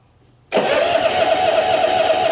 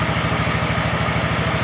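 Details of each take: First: 2004 Hustler zero-turn mower, cold at about 39°F, choke fully out, jump pack connected: starter spins the engine at a steady chug of about four per second, never fires. Crank no start; no spark. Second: 2004 Hustler zero-turn mower, previously no-spark, running on a jump pack because the battery is low: even, rapid low putter with no misses. Owner suspects a corroded ground or stuck ignition switch freed by jostling. Normal idle.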